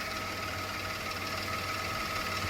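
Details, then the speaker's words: 2005 Town & Country (Old Van): steady idle with a light, thin rattle on top; owner suspects a pulley but the source is unconfirmed, and a drip from a possibly loose hose clamp follows. "Well, this little kind of rattly noise. Not quite sure what it is."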